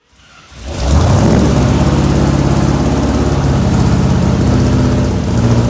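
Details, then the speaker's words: 1967 IH Loadstar 1600 shop truck engine being tuned to idle in the shop after a backfire; uneven lumpy idle with wavering low rumble from a manifold leak through the carburetor gasket. "So, we uh had a backfire. We're getting a manifold leak."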